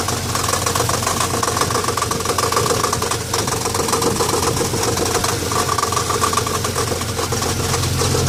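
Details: 1990 Dodge Dakota V6 4x4 idling in neutral/park with a constant dull knock about three to four per second; it stops in gear and is faint when coasting. Starter replacement did not fix it; source unknown, front or rear of engine.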